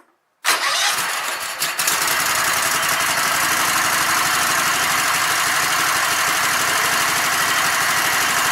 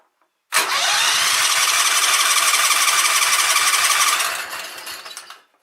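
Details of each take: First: Sears Craftsman Kohler Commander engine with its no-spark fault fixed by reconnecting the red wire to the spark module; air cleaner off. Brief cranking, then it catches and settles into a steady, even run with no misses; normal running. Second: Sears Craftsman riding mower with Kohler Command engine, no-spark fault, rectifier unplugged: steady cranking chug of three to four beats a second with some firing, fading off without catching; owner thinks the coil is probably good and suspects flooding.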